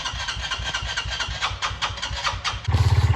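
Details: Honda CRF125F barn-find dirt bike after draining old gas, cleaning carb and tightening loose throttle cable: cranking chuffs, then catches and settles into quick, steady single-cylinder idle; normal start.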